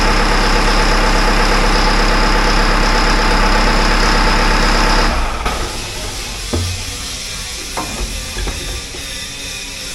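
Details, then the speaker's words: Caterpillar wheel loader diesel, first start after installing a new 24V starter, connections checked and not hot: steady, even clatter holding a smooth idle, then quieter with handling noise; normal idle. "sounds good. So we double check, make sure none of these are hot, and they all feel good, so that's good news."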